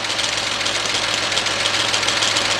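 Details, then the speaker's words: Rebuilt engine, Chevy Equinox / Buick Rendezvous family, after warm-up with fans running: light rapid ticking and chatter over a smooth idle; noise comes from the EGR valve. "all right guys we waited the fans have on right now that noise is actually coming from the EGR valve"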